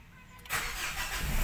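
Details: Mitsubishi Montero with immobilizer light blinking: quiet, then quick crank and engine catches cleanly into steady idle; no-start traced to faulty remote/alarm module, started after pressing to clear the blinking.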